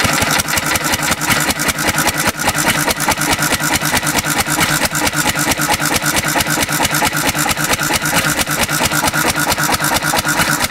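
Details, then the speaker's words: 1950s Cushman Cub one-cylinder four-stroke, throttle-governed stationary engine running on almost pure 91% rubbing alcohol. Steady idle with a slightly lumpy, soft beat and dull exhaust: it runs a little richer than on gas. "that's an interesting sound the it's running a little bit richer than gas ever so like this like an eigh of a turn more"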